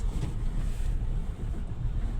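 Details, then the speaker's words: Renault Kwid, 4949 km, check engine light blinking, in 2nd gear at full throttle: uneven, stumbling low drone, severe misfire, no pickup; engine fault (low compression from a damaged valve), head overhaul and new piston rings planned. "Full accelerator लेके कितनी बुरी तरीके से मिशिंग कर रही है आप देख सकते हैं"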